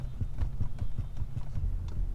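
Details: Mercedes-Benz rocking seat: dull, low thumps several times a second as the seat rocks; worn rear mount bushings letting it clunk.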